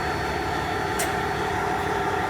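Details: MCI coach after tow, new check valve installed at the air port, engine cranked up to build air: steady engine drone with no hiss from the lines or fittings; the air system is sealed, no leak.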